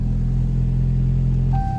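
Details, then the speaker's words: Wrecked Jeep Cherokee after replacing faulty part: even low idle rumble, then a chime and the engine winds down and stops cleanly by push button without disconnecting the battery; no put-in-park warning anymore. "it fixed our problem now we can start and uh stop the car without uh disconnecting the battery"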